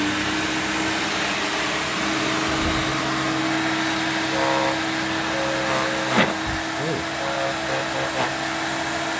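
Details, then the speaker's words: Electrolux Twin Turbo 2 Super Z1070A bagged upright vacuum with the bag removed, yet the bag-full indicator shows. The motor runs with a steady strained whine and a hollow, choked hum; the airflow path is clogged, though the machine is otherwise in great condition. "this machine is imperfect working well it's not in perfect working order because it's blocked but apart from that it's in great condition and"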